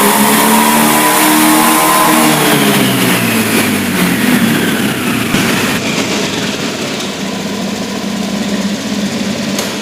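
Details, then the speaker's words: Honda Beat injection scooter after replacing faulty TPS (throttle position sensor) that caused stumbling at high rpm: engine climbs and falls smoothly through the revs with no stumble; normal revving. "Oke untuk putaran mesinnya dia sudah normal karena tadi untuk sensor tv-nya sudah saya ganti dengan sensor yang baru"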